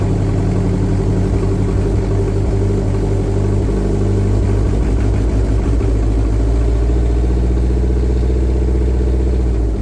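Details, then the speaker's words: Toyota MR2 with forged 3S-GTE turbo engine, now warmed up with fans on (cold starts awful, revs must be held a couple of minutes): deep, uneven loping idle with wavering rpm, still lumpy. "the cold starts pretty awful you have to sit and hold the the revs for a couple of minutes to to get it to idle properly it's quite lumpy but that sounds it sounds amazing thank you"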